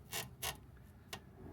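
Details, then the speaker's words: 2nd-gen Toyota Prius front suspension after fitting junkyard Corolla sway bars: three short dry creaks as the front end moves, also heard while driving; suspension creak. "i can hear that noise when i drive the car and it's pretty annoying"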